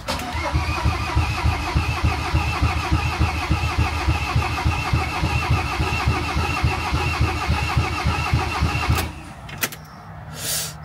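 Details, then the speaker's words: Van diesel cranking while priming the fuel system, air bubbles audible: steady starter cranking about 3.5 beats per second for nine seconds, never catching; crank no start from air in fuel system. "well we're trying to turn it over and over and over there you can hear air I can see yeah wasn't doing this before we weren't getting any air bubbles"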